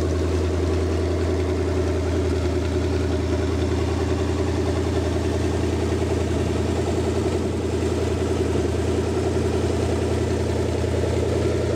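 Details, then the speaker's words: Rebuilt Lincoln 368 Y-Block V8 on an engine run stand, not yet at operating temperature, 70 psi oil pressure, oil temp still at rest, idling just above 1000 rpm: smooth, even low rumble with no knocks or ticks; normal idle. "so so she's running great and we'll take a look at the gauges here"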